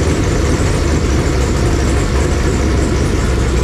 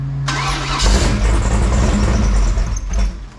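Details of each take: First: Fresh 496 big-block Chevy V8 on a run stand, break-in, about 15 minutes running near 170°F, oil pressure 55–70 psi, leaks fixed: deep, even rumble holding steady with no knocks or ticks. Normal idle. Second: Fresh 496 big-block Chevy V8 on a run stand, break-in: starter churns unevenly at a few hundred rpm with no firing after it ran out of gas; fuel-starved dry carburetor, still needs priming. Crank, no start.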